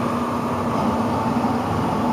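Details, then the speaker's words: Blower on a newly installed N4H3 heat pump (Ohio trailer unit) at first start-up after vacuum and charge release: steady loud droning rush with low hum and a higher tone; the blower sounds wrong, cause unclear. "what's that hear that it doesn't sound good down there"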